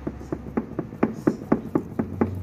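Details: Fiat Uno/Fiorino with the wheel lifted: sharp, hollow knocks about four a second as the steering rack end is rocked by hand. A worn steering rack bushing causes suspension knocking over bumps and cobblestones.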